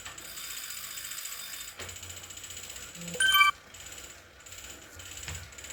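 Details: Wahoo KICKR CORE trainer with Zwift Ride on a rocker plate spins with a fast, dry ratchet-like clicking through its hiss; a known issue, and the unit was replaced.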